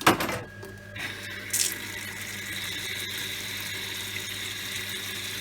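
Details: Workshop rainwater recycling system pump running after the pressure control valve was stripped and cleaned: steady water-flow hiss with a faint, even motor hum, no knocking or grinding, and it switches itself off; pump runs healthy.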